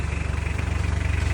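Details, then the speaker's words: Mitsubishi Pajero 4D56 diesel after replacing left and right engine supports; steady even low diesel thrum, about fourteen pulses a second, no knocks or clunks; earlier noise gone when driving; normal idle. "So far so good. Wala nang ingay niya pag nakadrive."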